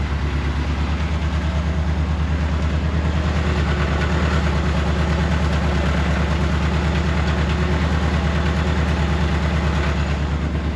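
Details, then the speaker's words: 1984 Kolb Ford Thunderbird Turbo Coupe engine on its first start after sitting 35-36 years: quiet, steady idle with a faint, occasional stumble. A slight misfire; the owner thinks it needs new spark plugs. "The motor sounds good, too. A little bit of a misfire. Probably use the new plugs."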